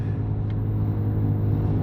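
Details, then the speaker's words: Jeep Cherokee on a test drive back to the shop (booked for overheating and misfire): a steady low drone from the rear that grows louder with road speed, a suspected worn rear wheel bearing. "i'm on my way back to the shop it's louder and louder of course the faster you go you know what's weird it's coming from the rear"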